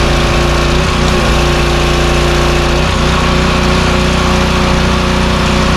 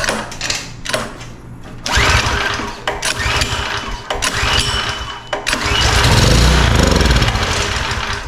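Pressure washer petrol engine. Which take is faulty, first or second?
second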